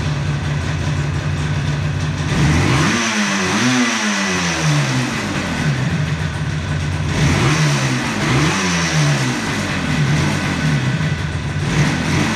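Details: 1976 Yamaha RD400 two-stroke, first start after five years stored, choke on, in a workshop: crisp ringing idle, then quick blips rising and falling cleanly; picks up sharply and settles without stumbling, healthy.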